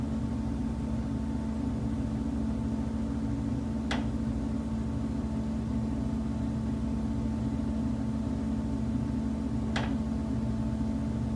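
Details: Condo unit: steady low mechanical drone with two sharp isolated knocks about six seconds apart, an intermittent knocking said to come from the building's common elements, left unfixed.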